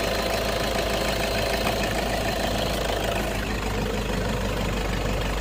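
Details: Toyota engine in an AC compressor clutch magnet replacement job: loud, steady idle at an even level with no clear knock or rattle above the running noise.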